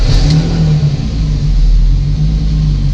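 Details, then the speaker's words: BMW E30 restarting after shutdown and holding a strong, even rev with a steady deep drone and no misses or knocks, confirming the ECU connector glitch is cleared; healthy running. "Voilà, c'était le petit bug avec le calculateur, je sais pas pourquoi."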